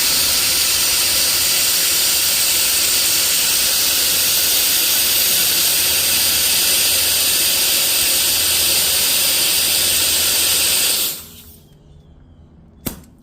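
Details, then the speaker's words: Original Audi Q5 3.2 fuel injector bench-tested under pressure with its solenoid triggered from a battery: nothing leaks until energized, then a strong even spray hiss for about eleven seconds that cuts off sharply. Zero leak-down, so the spray pattern is normal. "so I'm going to show you guys when I apply pressure nothing comes out but then when I hit this button then it starts spraying"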